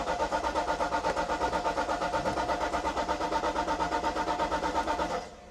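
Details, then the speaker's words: 1995 Mercedes-Benz SL500 R129 5-litre V8, sitting unstarted for years, on a jump pack: starter turns the engine in a steady chug about three beats a second without firing; owner suspects no or old fuel. "It's turning over, not starting. It's possible there's no fuel."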